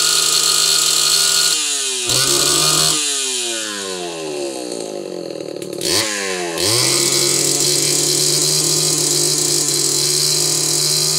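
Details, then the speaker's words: Homelite Super XL chainsaw at high rpm stutters, pops and cuts out before catching again; spark looked fine with a plug, but a failing ignition condenser is suspected. "did you guys hear that popping and banging and everything else there's an ignition problem in this saw"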